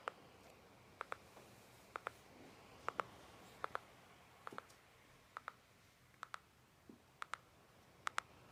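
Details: MSI GS60 Ghost Pro 3K laptop in a quiet room: intermittent sharp paired ticks about once a second, unrelated to load. Cause unknown.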